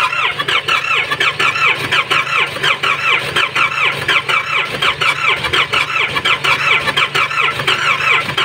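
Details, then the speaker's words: Nissan Patrol ZD30 diesel with no compression, cranking: slow, even cranking about eighty a minute with a squeal, no catch. "So yung makikita niyo sa unang start pa lang namin ito nung pagkakuha Ayaw talag umandar Wala siyang compression"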